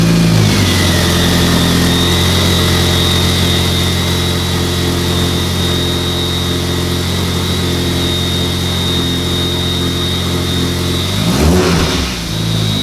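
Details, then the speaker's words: Mk4 VW Jetta after clutch problem fixed: strong, even engine note swelling smoothly with revs, no knocks or misses; healthy running, now shifting through gears. "just getting her uh used to being running correctly again and hopefully she'll be back on the road soon"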